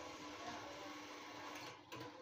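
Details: Repaired USB rechargeable mini fan with three speed settings: faint, steady little whirr at constant pitch with no rattle or catching; the small fan motor spins smoothly, normal fan motor running.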